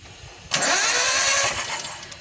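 Steady whirring crank from the starter with no firing, an even, smooth spin, as expected with the injectors unplugged.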